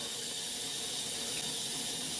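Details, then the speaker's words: GE GXSF40H water softener in diagnostic mode, stepped to cycle position 3, backwash. There is a steady, even hiss of water through the drain pipe with no gurgling or surging. The backwash flow is normal. "on the third the third position that is the backwash position so at this point this is why I was saying you should go and check out where it normally trains there should be a nice flow not crazy but you know a decent little flow it's sort of rinsing out the rinsing out the system right now"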